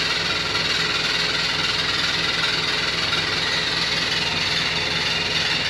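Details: New Beko WY124PT44MW 12Kg washing machine, 3rd or 4th use, light load: loud harsh clatter about four times a second, sounds like falling apart inside; installer left a transport bolt in and foot lock-nuts unset.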